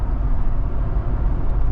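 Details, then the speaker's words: S197 Ford Mustang driving on the road after greasing a bone-dry upper control arm bushing: steady low road rumble with no knocks or clunks over bumps. The long-standing suspension clunk is gone after three days of checking. "And perhaps the best news of all, the clunking sound in Sonic is completely gone."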